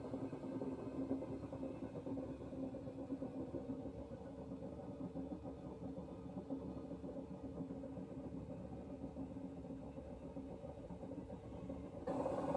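A steady, loud low rumble runs the whole time without letting up; bearing or motor trouble, and the ear can't say which.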